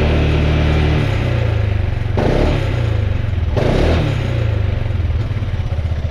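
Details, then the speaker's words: Piaggio MP3 500 scooter on its original exhaust, idling and revved to about 2000–4000 rpm, measuring 84 dB average and 111 dB max: an uneven metallic clatter over the idle and blips that grows louder with revs. The old muffler is failing inside, something loose or breaking. "Voilà, c'est vraiment parce que l'autre qui commence à partir en choucroute à l'intérieur, je le change."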